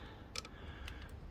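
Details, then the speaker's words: Barn-find Kawasaki GPZ900R, first ignition power-up in 28 years via made-up cable, ignition light on, horn dead; faint irregular sharp clicks with engine not running, bad connection cutting in and out suspected. "cuz something's clicking in and out"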